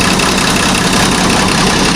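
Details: Howo 380 truck diesel that previously only cranked without starting, after fitting new injectors: steady, even clatter at idle with no misses or stumbles; runs cleanly, normal idle.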